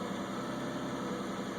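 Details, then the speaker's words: 2001 Isuzu Rodeo at idle before EGR cleaning, check engine light on with recurring insufficient EGR flow code; smooth steady idle but RPM seems higher than normal, owner suspects clogged EGR valve. "and you can see the RPMs are up seems like a little bit higher than they should be for idle let's get up in the engine compartment you can hear it something just doesn't sound quite right"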